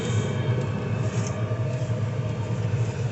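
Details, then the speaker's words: Diesel heater running normally in a camping setup: a low, even rumble with a soft steady pulse; the usual fuel-pump ticking is too mild to hear. "you can't really hear it but there's like a ticking sound for the pump is kind of common but it's so mild you can't hear it on mine"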